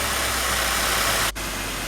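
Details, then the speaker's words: Mercedes-Benz W204 M271.8, first start after timing chain replacement, new thermostat and crankcase vent valve, warming up: steady even idle, smooth low hum, no startup ticking or rattle. Normal idle after repair. "работает могли корректно сейчас прогреваем смотрим все те чьи чтобы у нас все было нормально"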